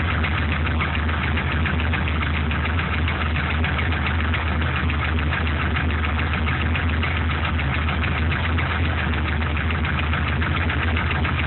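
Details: Truck with an LS1 V8 block from a C5 Corvette, warm after running 5-8 minutes: an even idle with a quick, uneven light tick. Owner suspects piston slap, not confirmed. The truck runs strong with no leaks or smoke.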